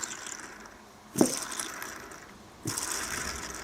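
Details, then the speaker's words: Workshop fan motor intended for a heater/burner, bearing turned by hand: two short bursts of dry, rough ratcheting; the motor had sounded noisy and the bearings are worn out, with new bearings on order. "I'll have to order some new bearings for that because that's that that one's no good I thought it sounded really nosy"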